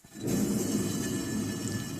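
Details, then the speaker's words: Nissan 300ZX twin-turbo (Z32), front hub spun by hand during a Brembo six-pot caliper install: steady gritty low rumble with no drag or pad rub; worn front wheel bearing needing replacement. "i've got to get new wheel bearings you can see that it doesn't drag but you can hear my wheelbarrow"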